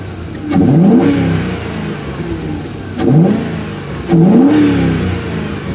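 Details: Mercury 4.6L V8 with four-speed transmission, hood open in snowy weather: three quick rev blips climb and fall back cleanly to a smooth, even idle with a deep exhaust note; normal free revving.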